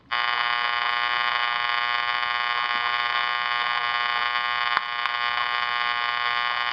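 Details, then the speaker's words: Channel Master 6505 five-transistor AM table radio under repair, with weak audio and components being tested for replacement; harsh, steady single-pitch buzz from the speaker with a brief click; fault still being traced. "This is driving me crazy. That noise. I can't take it."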